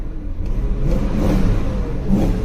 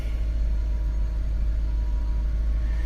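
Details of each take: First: BMW V8 at auction, after idling to circulate oil: revs under throttle with a slightly uneven, stumbling note instead of a clean pull; a misfire. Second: Big V8 BMW at auction with 107,000 miles, showing headlight and fog light warnings but no check engine light. Deep, steady, even idle with nothing knocking or ticking; no smoke, not burning oil, good power, a normal idle.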